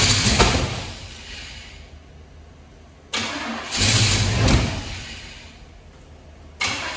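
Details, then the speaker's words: 1978 Pontiac Firebird Trans Am after sitting two years in a field: two crank attempts each catch with a rough uneven burst then die instead of idling; hard start, owner suspects ignition timing is off. "i think our timing's off let's see if we can"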